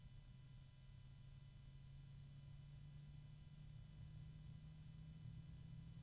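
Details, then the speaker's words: Cheap-bearing fan being turned up from a very low speed (possibly below 800 rpm): still very quiet, with a steady low hum and faint ringing resonances or harmonics above it. A hum starts as speed rises; cause not confirmed. "still very quiet now I'm starting to get a"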